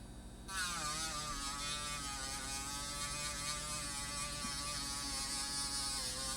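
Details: 5 V miniature air pump for a pocket smoke machine, bench test: tiny motor spins up instantly to a thin steady high buzz, holding evenly; running normally.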